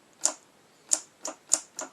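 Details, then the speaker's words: Chevy Blazer/GMC Jimmy floor shifter wired for non-factory use, ignition on, brake pedal pushed, moved into park: sharp crisp clicks about every half second; shift-lock relay and actuator clicking normally. "You can hear them both clicking."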